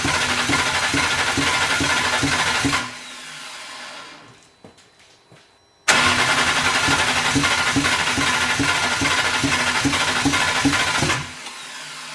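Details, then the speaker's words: BMW E81 drift car on an RM Primis ECU; after pumping about 10 litres of contaminated fuel from the tank until it smelled of E85, steady cranking, a pause, then a longer crank and it starts and settles into an even run. "Eli sit letkut takas paikalleen josko se sit lähtisi käyntiin."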